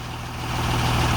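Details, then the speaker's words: 2003 Freightliner Sterling Schwarze A7000 sweeper, Cummins 5.9L straight-six diesel, started after sitting almost two years: short, even rumble that swells smoothly as it revs; minor exhaust leak. Normal running. "it has a Cummings 5.9 L straight 6-cylinder engine which sounds good as you can hear it does have a little exhaust leak but it's minor but the motor revs up"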